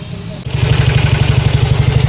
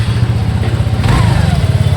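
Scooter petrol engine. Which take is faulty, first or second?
first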